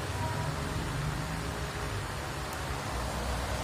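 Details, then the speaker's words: Polsen Regency stainless tornado fan that only hummed without turning, after its old bushing was replaced with a 6000 bearing: even, steady whoosh of air and soft hum, no rattle or scraping; it runs normally with strong airflow. "Anginnya kencang sekali ya un"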